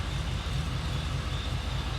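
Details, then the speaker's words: 1973 Chevrolet C10 after 6.0 V8 swap replacing a 454 that wiped out its bearings, Flowmaster FX mufflers, still needing tuning: deep steady low rumble, even rhythm, no ticks or knocks; quiet healthy exhaust note. "I'm sure it still needs a little tuning, but [Music] it's pretty quiet these mufflers. These are the Flowmaster FXs, but"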